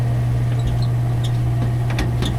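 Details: Gas furnace that short-cycles and won't heat the house, blower motor suspected; furnace door closed: steady strong low hum with even airflow rush and a few light clicks, blower running smoothly.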